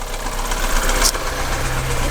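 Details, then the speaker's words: Audi Q3 1.4 TFSI (CZDA, EA211), started with no fault codes, listened at the open hood: steady low rattling knock that barely changes as revs rise, plus oil consumption; cause unknown. "Ага запустили ошибок никаких нету но стоит вот такой вот стук Пойдёмте к капоту вот так вот он тарахтит"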